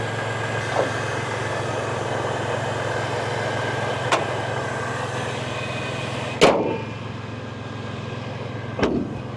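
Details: 1998 Toyota Tacoma SR5 with TRD supercharger, jump-started and revved after sitting over five years: an even, steady idle with no misses or knocks, only a few sharp outside thumps, so the engine sounds healthy.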